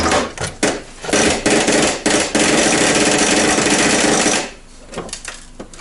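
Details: Old Saeco Vienna Trevi Chiara coffee machine at power-on, brew unit removed: the ground-coffee doser knocks rapidly like a machine gun, then stops abruptly after about four seconds; normally it clicks only a few times while dosing; fault vanished during disassembly.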